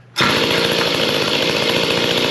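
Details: Mantis tiller two-stroke after carburetor replacement with C1U-K82/C1U-K54A type carb, earlier cleaned carb ran poorly: catches at once, steady high buzzy drone with even firing, no misses or surging; runs well.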